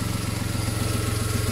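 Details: VW Polo whose alternator had stopped charging, repaired for free with a new regulator; now charging with no more dropouts, new flex pipe fitted. Even, regular idle pulse with a smooth low hum and no stumbles or misses; clean idle after the repair.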